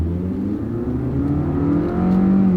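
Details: Used Carvana Hyundai Accent, restarted after an earlier misfire, driven hard in manual-shift mode at high rpm; revs climb cleanly and evenly, no stumble or popping, no codes or pending codes returned. Normal acceleration, no misfire.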